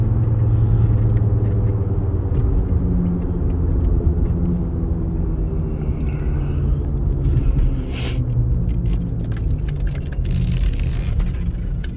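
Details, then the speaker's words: 2002 Jaguar XJ6/XJ8 on a test drive: deep, steady low roar throughout the drive drowning the engine; driver suspects bad tire(s), a wheel bearing or driveshaft, not confirmed; engine and transmission otherwise seem fine. "Man, it's either got a bum tire or bum tires. or it needs a wheel bearing or some sort of drive shaft. It's smooth and powerful, but oh, it makes a terrible roar."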